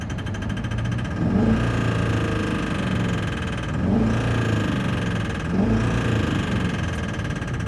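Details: LB7 diesel with bad injectors, revved about every two seconds: a rough, clattery knock under the rumble that rises with each rev; failing injectors.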